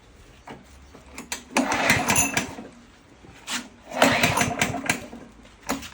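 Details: Free 909-brand four-stroke key-start lawnmower, governor only with no throttle and a pull starter that needs fixing, restarted: it fires in bursts and runs in a rapid light putter that rises and falls. The mower starts and runs.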